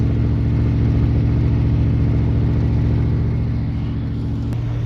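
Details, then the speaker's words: 1976 Dodge motorhome warming up on choke after cold start, voltage good, oil pressure slightly high on 15W40 or 10W40: steady, even low rumble with smooth regular beat, no knocks or misses. Normal idle. "So we'll go ahead and let the thing dry off. God, the damn thing sounds good."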